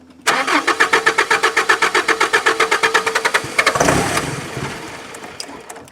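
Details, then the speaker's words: 1992 Mazda B2600i extended cab, compression in all four cylinders: even cranking at about four strokes a second, then one short burst of firing that dies at once. Owner suspects a failed electric fuel pump. "The bad thing is obviously it's not running. My worst fear is that it's the fuel pump on this thing."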